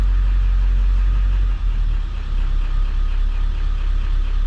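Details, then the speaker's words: 7.3 PowerStroke Ford F250 idling on tune one, just after a PHP Hydra tuner was programmed: low, deep, subdued rumble with no knocks or clatter. Much quieter than before, a normal idle. "it is much quieter I have to admit"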